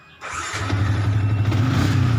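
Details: Motorcycle engine after an ignition key switch (kunci kontak) repair that previously would not switch on: it catches at once and settles into a steady, smooth idle without stumbling or cutting out, healthy running.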